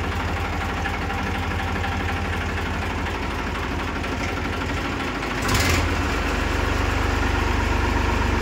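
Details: Massey Ferguson 5245 DI tractor, 54 hp class, first owner: even diesel clatter at about four beats a second with one brief blip mid-way, then steady; healthy idle.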